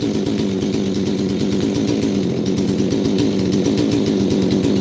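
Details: Chainsaw, similar to an 038 Mag, with choke built into the air filter; crisp, even two-stroke buzz with steady firing pulses and no sag or sputter; running cleanly and healthy.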